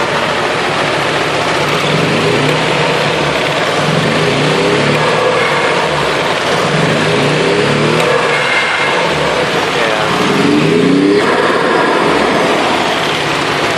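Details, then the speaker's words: Nissan RB20DET after ECU change, with coils and coil harness swapped: rough, uneven stumbling note when revved, misfire on cylinders 4 and 5, lacking vacuum, blow-off valve not responding, turbo reportedly gone; vacuum leak or MAF suspected, not confirmed. "Sure, this is an annoying misfire. Also doesn't have all the vacuum it should have."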